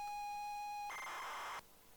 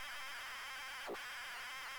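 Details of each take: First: now it sounds like the sound of of a stupid game with its turbo loader Second: ZX Spectrum cassette loading: steady high warbling data screech with one quick sweep midway, a turbo loader notoriously hard to load.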